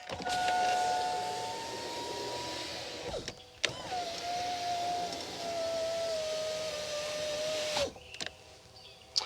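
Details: 2001 Chevy Silverado 2500 HD (GMT800) rear door window, door panel being refitted: smooth steady motor hum at even pitch through full travel, clean stops, no grinding or binding; window works normally.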